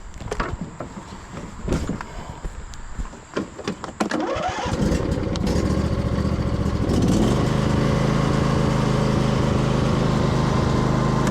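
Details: Husqvarna YTH2242 riding mower, Briggs V-twin, after bent push rod, sump gasket and seal repair and governor linkage set, testing the bagger: cranks and catches, then steady, even drone under load, no knocks or misses; normal running.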